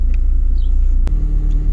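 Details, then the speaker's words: Chrysler PT Cruiser cabriolet at idle with the engine light on: a low rumble with a brief stumble and knock as a cylinder misses. Code P0302 shows a cylinder 2 misfire that is long-standing but much worse. "Ça a l'air de rien comme ça. Mais ça me fait des putains de ratés. C'est pas nouveau, mais ça s'est salement amplifié là."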